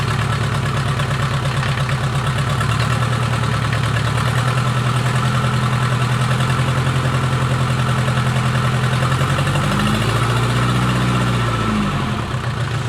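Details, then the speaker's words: Mercedes 240D OM616 diesel, reassembled after sitting about a year and a half with old nasty fuel, cold start after cranking to prime injector lines: steady, even clatter at idle with a low throb, no knocks or misses, smoking a little. "well i would say it's a success started right back up it actually sounds good smoking a little bit"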